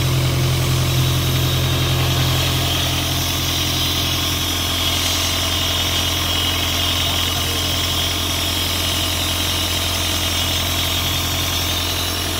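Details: Isuzu 4LE2 diesel air-compressor engine, which previously would not start (others blamed electronics; smoke came from cylinder 4 intake), now after head work idles steadily with smooth low beat, no misses or knocks.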